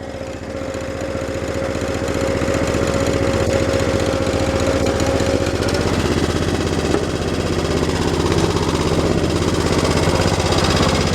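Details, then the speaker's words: 1983 Cub Cadet 680 Hydro with a 12 hp Kohler engine, at idle: rapid light ticking, about four per second, clanking over a quiet steady idle. Cause unknown to the owner. "As you can see, the engine is pretty quiet, but you can really hear that whatever it is, ticking, clanking. You can hear that, and I'm not sure what it is."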